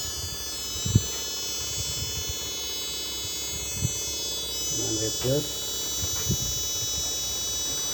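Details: Chinese TV switch-mode power supply regulator with B+ output only 7 V instead of normal: steady high-pitched siren-like whistles over a low hum with clicks, the supply squealing under fault.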